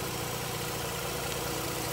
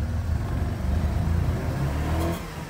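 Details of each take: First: Mazda RX-8 rotary after hard-start and flooding episode, about 10 minutes running: smooth, even idle with steady low rumble, no misses, smoke cleared; normal idle. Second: Mazda RX-8 rotary, suspected low compression, would not start after four days sitting in freezing weather: just fired, surges and stumbles as revs rise and sag unevenly under throttle, smoking heavily; flooded with fuel from long cranking.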